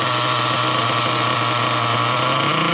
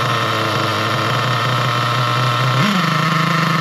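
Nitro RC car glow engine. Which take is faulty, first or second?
second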